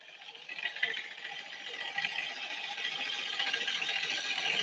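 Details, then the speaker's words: Scooter CVT after a roadside belt-drive repair, cover open at idle: harsh dry metallic chatter like an ice crusher, continuous and growing louder; owner suspects the outer drive face loosened since the roadside change, or possibly the clutch. "Let's start it up and we're gonna hear the chatter. It ain't happy."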